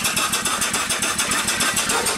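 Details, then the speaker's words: Upright steam engine that sat for years, after repair, running on 25 psi steam: even, rapid chuffing at about eight beats a second, steady in rhythm and strength, not running too fast. It runs smoothly. "all right you see we're only running 25 pounds all right there's no water in it now it's working good"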